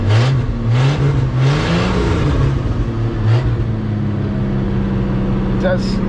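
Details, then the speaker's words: 1979 Ford F150, 300 straight-six, C4 automatic, just started on carb-poured gas: engine blips then hangs at raised speed, about 1800–2000 rpm; throttle won't close fully, carb needs rebuild, possible vacuum leaks from unplugged lines. "idle down it won't close all the way I guess that's why carve definitely needs a rebuild there may be a vacuum leak"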